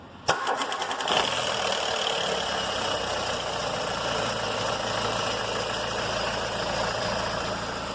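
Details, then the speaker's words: Ford EcoSport Zetec Rocam with a timing chain; tensioner deliberately drained to reproduce the customer's noise on the first start of the day: harsh metallic chatter for about a second, then an even idle. Timing chain rattle; fixed by replacing the tensioner. "e esse é o barulho que faz só na primeira partida"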